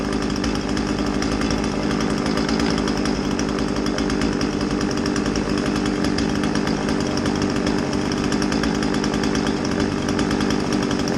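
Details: Old Husqvarna 36 two-stroke chainsaw, test run after a tune-up with new fuel line, having possibly not run in decades. It holds a steady, even buzz at high revs without stumbling or surging, running clean and healthy.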